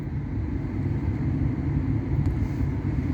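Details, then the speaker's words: On a first-gen Kia Soul EV with a dealer-repaired heat pump: the compressor kicks in with a steady, smooth low drone while the PTC heater cycles and dies down; normal operation. "but uh the uh uh compressor is kicking in and that is probably the PTC heater dying down as the uh heat pump kicks in"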